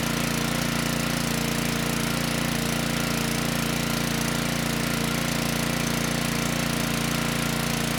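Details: Generac-branded Briggs & Stratton WheelHouse 5500 W generator (engine 204412-0142-E1), even steady drone, perhaps a touch slow, after ignition coil replacement; output 123 V, engine speed slightly slow at 58 Hz, to be adjusted. Earlier no-start, water found in tank.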